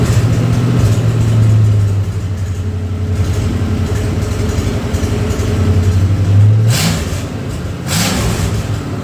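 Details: Ford 302 V8 for an 84 Mazda truck, converted from EFI to carburettor, sat two years, first run on engine hoist: deep steady burble with smooth blips rising and falling cleanly, no knocks or misses; timing roughly set, healthy.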